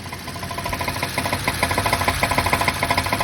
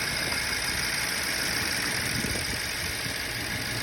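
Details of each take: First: 2011 BMW 550i F10 N63 V8, six-speed manual, hard starting with low fuel pressure codes: loud, fast metallic ticking at idle from the bank one high pressure fuel pump; bank two also noisy. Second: 2011 BMW 550i F10 N63, six-speed manual, after high-pressure fuel pump replacement and vacuum leak fixes: smooth, settled idle with an even pulse and no stumbling or skipped beats; no misfire.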